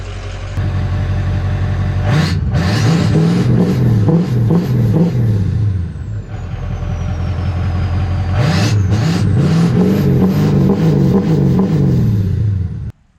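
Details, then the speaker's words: 2003-2007 Ford 6.0L Powerstroke diesel after replacing a leaking high-pressure oil O-ring (long-crank fix): deep, even diesel clatter, revved twice and settling smoothly at idle with no misses or knocks; normal running, good throttle response. "So yeah, we'll let it idle for a little bit, but we checked for leaks, and I don't know, you know, she's sounding good and she's acting right."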